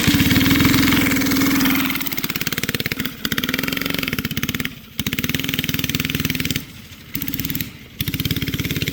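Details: Flathead Briggs & Stratton alcohol race go-kart engine, barn find sat over 30 years, running E85, test run: single-cylinder putters, then repeatedly stumbles and nearly dies under throttle before recovering; engine bogging, carburetor issues suspected.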